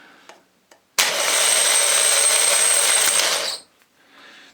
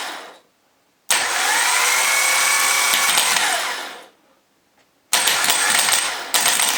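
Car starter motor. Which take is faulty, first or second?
first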